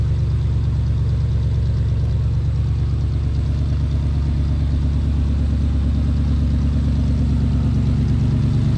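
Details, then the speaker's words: 1979 Lil Red Express truck V8, first start after six months of winter storage at about 55°F, 15-year-old battery: deep, even idle burble without misses, ticks or knocks; runs healthy. "a little dusty that the wheels need some polishing as they do every year overall looks pretty good sounds good"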